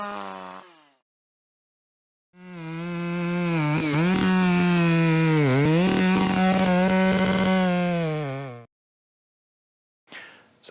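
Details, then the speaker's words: Old piston-ported chainsaw held at full throttle with a burbling, uneven warble: four-stroking, where the two-stroke engine skips firing beats because the high-speed (H screw) mixture is too rich. "A two-stroke engine fires every time the piston comes up. But if it skips a beat, that's called four stroking."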